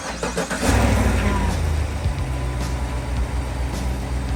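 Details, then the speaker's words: 2015 GMC Yukon V8 with AFM, after repair work for lifter tap, cranks, catches and settles into an even idle with no clear tick or knock over background music; running much better. "seem to be running much better"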